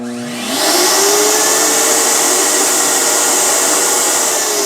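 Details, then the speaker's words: Tribest Dynapro DPS-2250 commercial vacuum blender, improved motor rated up to 32,000 RPM, on high speed: spins up fast to a steady high whine, measured 27,000 RPM before the tape flew off; faster than older model, normal full speed. "I got 27,000 RPMs before the tape actually literally flew off. And you could hear the motor was spinning a lot faster, in my personal opinion."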